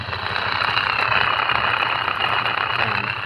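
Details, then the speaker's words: Stainless spin aerator, a market-bought unit welded by another welder, running out of water: steady high whine over rough low buzz, body shaking strongly; shaft misalignment from poor welding. "Maingay siya, tapos yung vibration malakas. Ayan. Muga yung katawan."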